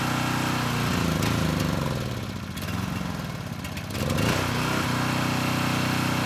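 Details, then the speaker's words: Coleman Powermate Pulse 1850 generator, engine about 23 years old, after fuel system repair from tank to carburetor and cleaning; steady even small-engine drone with a brief dip and recovery under load, running smoothly and healthy. "so it's doing pretty well and the engine sounds good so i think it'll run for quite a bit longer"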